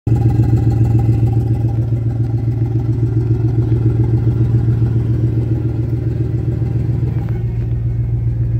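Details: Deep, loud idle rumble with a steady puffing beat from a Totalflow muffler with exhaust leaks and no tip installed, before the leak was fixed and a tip welded on.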